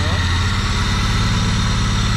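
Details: Chevrolet Vectra parked ten years: uneven, lumpy idle with low throb that keeps stumbling; dropping cylinders because two fuel injectors were bad, before cleaning.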